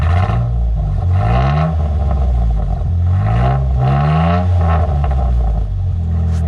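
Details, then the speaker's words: 2011 Jeep Wrangler, 3.8L V6, just fitted with a Flowmaster Outlaw muffler with dual tips on the stock exhaust: throaty note climbs cleanly through several blips and settles smoothly, even firing with no knocks or rattles; healthy. "Ooh, she sounds good."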